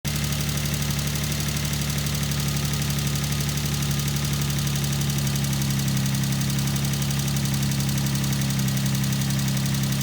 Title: G35 Vq35de lifter tick